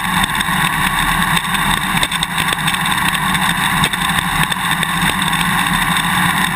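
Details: GoPro Hero 2 on a motorcycle swing arm while riding: sharp irregular clicks through engine and road noise. The quick-release buckle is chattering loose in its mounting bracket; fitting the vibration plug and taping the joint eliminates it.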